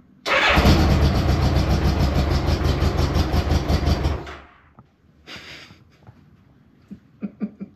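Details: Honda Goldwing GL1200 flat-four after the loose spark lead was plugged back into the coil pack, spark confirmed on all coils: brief cranking, firm catch into a strong even roar with smoke; starts cleanly on all four cylinders.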